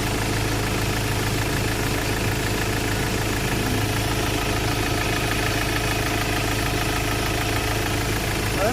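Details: Ford Ranger XLT, previously cranking with no start from an ECU problem, now started after a brand-new computer box was fitted and programmed: steady low idle, even rumble, no stumbling or hunting; normal idle.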